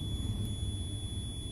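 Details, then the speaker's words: Clothes iron being diagnosed with a multimeter on its heating element, wires disconnected: steady high-pitched continuity beep, reading zero, heating element good. "it is reading zero element is good"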